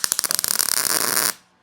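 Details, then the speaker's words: 1941 Mercury door repair, MIG welding vertical down onto an existing bead with heat set very low: the arc sputters in uneven crackling bursts, then settles into a steady sizzle; a stuttering arc struggling to keep up. "nice thick weld bead there and it was trying to catch up. The heat is set really low on this."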